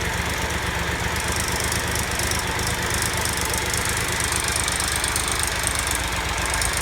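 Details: Triumph Tiger Explorer idling with a busy, uneven mechanical rattle after oil change from 10W-50 to 10W-40 and new filter; timing chain rattle suspected, not confirmed.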